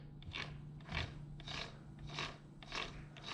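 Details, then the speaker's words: Yamaha YZ300 two-stroke engine build, transmission turned by hand in split cases: rough rasping bursts about twice a second, gears grating; builder thinks purely lack of lubrication, installation inspected and looks fine. "that is the sound I was hearing just exaggerated once it was spinning fast with me turning it over with all of the other gears installed"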